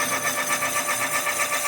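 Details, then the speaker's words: Honda CB 400 cylinder being bored on an automatic-feed boring machine: an even, light cutting hiss with a soft steady pulse and no chatter, as the boring bar cuts cleanly and centered. "Galera, ó esse barulhinho que eu gosto de escutar, ó. Quando ele pega certinho, você vê que não tem diferença."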